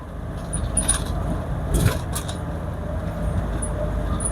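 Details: Toyota Hiace 3L 2.8 diesel, whose old final drive howled at high revs, cruising around 100–110 km/h in 4th/5th: a steady low road rumble with no rising rear-axle howl, the final drive running quietly.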